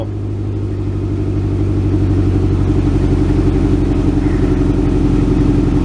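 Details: 1967 Ford Galaxie 500, cold first start on its rebuilt old two-barrel carb with a makeshift fuel jug: a steady low rumble held on the throttle, slowly rising as it warms; it won't idle yet.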